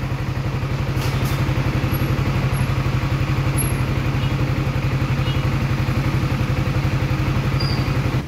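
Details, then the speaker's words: 2023 Yamaha Sniper 155R, about 5 months old, idling: steady metallic clatter about four times a second, like metal fighting metal, present even when cold; mechanics could not find the source, tensioner suggested, unconfirmed. "yun parang may naglalaban na bakal Eh anong tawag doun sir sa tunog na yon para SAO Anong tawag kakaibang tunog kakaiba talaga"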